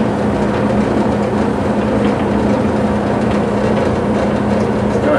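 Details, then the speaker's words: 30+ year old Whirlpool gas dryer LX15501A1 that spun but had no flame, after replacing the thermal sensor switch: steady motor hum with drum tumbling smoothly, no scraping or knocking; running properly. "so I just heard everything's working properly now"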